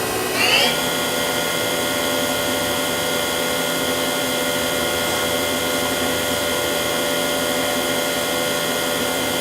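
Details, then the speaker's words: 1999 Daewoo DMV-500 vertical machining center spindle stepped up to 6000 and then 8000 rpm: winds up quickly, then holds a clean steady high whine with no vibration, rattle or grinding. Runs smooth. "we'll jump straight to six and finally eight thousand as you can hear it sounds good no vibration whatsoever no rumbling or grumbling just as you'd expect"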